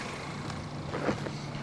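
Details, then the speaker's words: Car with a four-cylinder Ecotec engine, about 101-102k miles, hail damaged; quiet smooth idle with soft steady low hum, no ticking, knocking or stumbling, runs like a top. "listen to her purr she really does run like a top guys"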